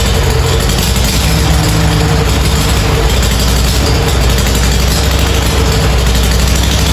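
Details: Farmall A tractor revived after 10+ years idle (new radiator, fan, belts, hoses); deep, even, steady idle without misses, knocks or hunting; normal idle.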